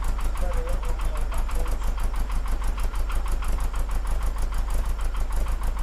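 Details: Porsche 914, 2056cc on dual Weber carbs: after both idle screws turned in a quarter turn, the mixture having seemed lean, the flat-four idles at a low, slightly uneven but settled beat of about three pulses a second; sounds much better. Over-tightened accelerator pedal likely the earlier cause.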